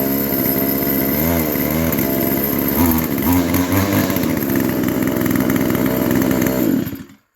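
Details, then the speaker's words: Stihl FS 55R trimmer after new aftermarket carburetor fitted, which started on the fourth pull (old carb ignored adjustments, wouldn't start): small two-stroke buzzes steadily, picks up cleanly on throttle blips, then shut off; normal running. "it was running when I got it started run like so a new carburetor from Amazon right out of the box started on the fourth pull"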